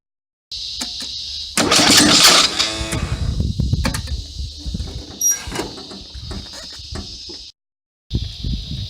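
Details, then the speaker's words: Lawn mower with oil and gas that won't start: repeated pull-starts with quick rattling turnover and slight sputter, but the engine never catches; cause unknown. "There's oil, there's gas. I don't know what's wrong with it. I just can't get it to start."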